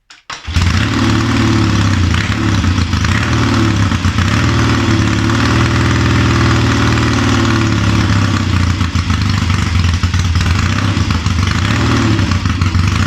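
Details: Triumph Tiger 90 350 with electronic ignition, first cold start after rebuild: loud uneven thumping with lumpy revs that never settle; ignition timing out, carburation probably slightly off, but starts easily off a kick.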